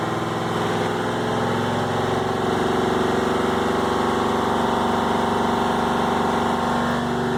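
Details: Cummins VT-903 diesel, Cummins tech suspects bad front fuel pump seals (hard starting, runs past governor, white smoke): steady fast idle with slightly uneven throb that never settles; fuel pump fault suspected, not confirmed.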